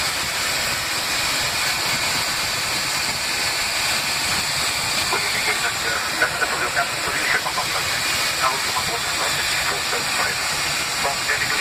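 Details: Spicejet SG475 Delhi–Srinagar aircraft cabin, 27 June 2017: loud continuous high hiss drowning everything, heard throughout the flight from near the front exit door; source unknown.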